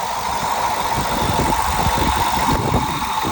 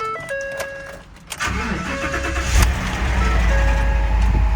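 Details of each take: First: 2013 access-cab salvage truck at Copart, 120,000 miles, remote started. A little rough at first, it settles into a steady idle with an even low thrum and a faint whine, no knocking or misses; the engine sounds healthy. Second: 2013 V8 salvage car at Copart, 120,000 miles, rear-end damage: brief crank, then runs a little rough and uneven at first before settling toward a steadier idle. Rough start easing off; engine sounds not bad.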